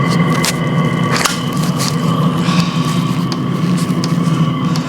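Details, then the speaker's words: New 12V 'ultra quiet' Chinese diesel heater fuel pump with built-in filter, just fitted, microphone right next to it. A steady hum with sharp regular ticks: normal pumping, though the owner suspects it is louder than the original. "you know what I've got a sneaky feeling that this is actually louder than the original"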